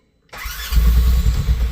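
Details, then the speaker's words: General XP fuel-injected side-by-side, cold start after three months unused, brake pressed hard, battery weakening after long cranking: silence, then the engine fires and builds into a deep, lumpy low idle and keeps running. "There it is. Oh. All right, we're in business."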